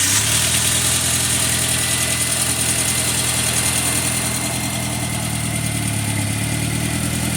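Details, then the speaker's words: 2002 VW Passat 1.8T after engine swap, second start, idling: loud hissy uneven puffing over steady run; exhaust leak suspected, still excessive. "Sounds like there's definitely an exhaust leak somewhere."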